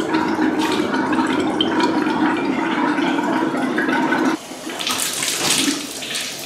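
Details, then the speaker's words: Hot-water faucet after flushing and refilling a water heater; irregular gurgling and spitting about four bursts a second, then steadier flow as trapped air purges. "and we're back at the faucets you can hear all the air is trying to escape oh yeah i can feel it"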